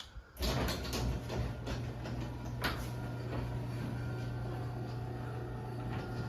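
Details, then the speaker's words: LiftMaster 8355 garage door opener after replacing Torque Master with extension springs, door running down: even low motor hum with light irregular rattle; possibly the trolley, not confirmed. "Not exactly sure what that noise is, that little rattling, but might be the trolley. I'm not sure."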